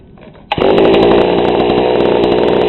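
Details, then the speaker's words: GoPed GSR40 two-stroke with 603 carb and TGN manifold, both high and low needles at 1¼ turns out: it catches instantly, then holds a steady, crisp high buzz without surging or popping. It sounds pretty darn good, normal running. "and that sounds pretty darn good"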